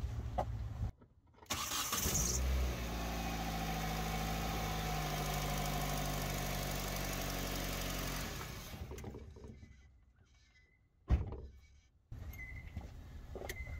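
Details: 2005 Hyundai Tucson GL 2WD with original exhaust still fitted, before manifold and catalytic converter replacement: catches first try, steady even idle about six seconds, then shut off; normal running.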